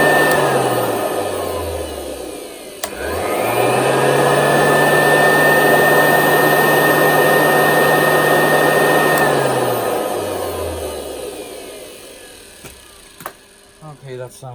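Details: Hoover U4058 vacuum after inspecting the motor and refitting the hood: steady high motor whine spins up, holds even pitch, winds down smoothly; running normally, no rattle.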